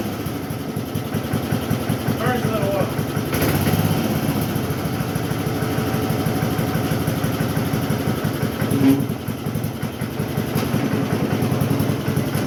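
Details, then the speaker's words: Cub Cadet mower single-cylinder engine idling with air cleaner on, after new chain, air filter and oil change: heavy, uneven lumpy chugging; idling rich and also burning a lot of oil. "But idle little bit different with the air cleaner on. Uh it is idling rich, but it also burns a lot of oil"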